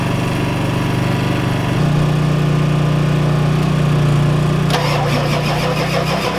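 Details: Ford F-250 XLT 7.3L IDI diesel, all 8 glow plugs connected, temporary fuel hose bypassing mechanical lift pump, cold weather: steady cranking about three turns a second, cranks but won't start. Fuel reaches bleeder screw, not injectors; owners suspect weak injection pump, shutoff solenoid untested.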